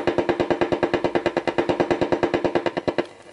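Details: Infrared remote control checked by holding it near an AM radio tuned between stations on a stereo cassette recorder: fast even buzzing pulses about ten a second stopping when the button is released; remote transmitting properly.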